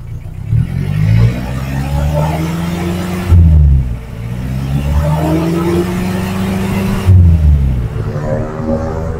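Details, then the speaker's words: 2007 Suzuki Carry Futura pickup, revved to 3000–4000 rpm. Pitch rises and falls smoothly with no knocks, ticks or misses; judged normal. "Saya rasa ini saya udah naikkan di RPM 3000, 4000, itu suaranya masih normal, tidak ada suara yang janggal."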